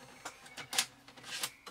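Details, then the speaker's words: 1993 Amstrad NC200 notebook floppy drive: brief irregular clicks and short whirring bursts, never settling into a steady read; reports no disk despite one inserted; owner suspects a perished rubber drive belt. "but as you can hear reading desk it says there is no disk in the drive and press stop to exit now"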